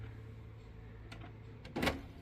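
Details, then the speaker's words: Canon TS3322 printer after a P10 error, restarted following a self-reset: quiet hum, short whirs and a clack as the carriage shuttles across, initialising normally where it previously didn't move. "There we go. It's moving. It didn't do that before."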